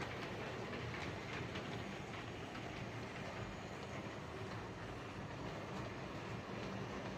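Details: Hornby 08 shunter model locomotive on the layout after repair (connecting rods bent slightly to clear the brakes, cleaned and lubricated): quiet, even rolling hum with no rhythmic click per wheel turn; clicking fixed, running fine.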